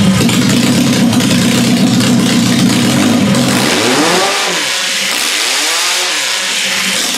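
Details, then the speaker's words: Demolition derby car engine started after a fuel leak was fixed: fires rough and uneven, then dies into a labored, dragging turnover; the owner suspects it seized. "doesn't sound right well it may have just seized actually it did not sound right and now it's not turning over over"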